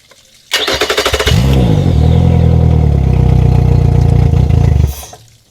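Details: Engine jump-started with no battery installed, using a NOCO GB70 2000A jump starter in boost mode; under a second of quick, even cranking, then it fires and settles to a smooth, steady idle before shutdown, a normal start.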